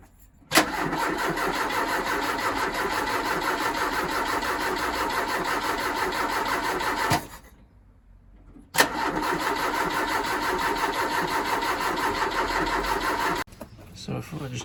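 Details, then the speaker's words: Ford Capri 2.0 after inlet manifold refit, first start attempt: starter grinds over slowly in two long bursts without catching; slow cranking suspected from a rusty earth connection and low battery, to be cleaned to bare metal and charged. "on this earth as it's turning over very slowly"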